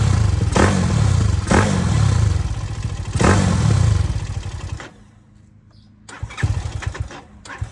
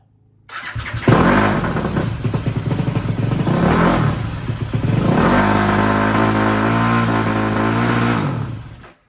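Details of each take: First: ZS190 engine in a Grom clone with a 212cc big bore cylinder, four-valve piston, Daytona 4V head and new plug, restarted after one heat cycle: sharp throttle blips rev up cleanly and drop back to a low, steady thump; it runs strong and healthy. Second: ZS190 engine in Grom clone with 212cc big bore kit and Daytona 4-valve head, first start: fires and surges at high revs for several seconds before shutdown; owner thinks throttle cable stuck.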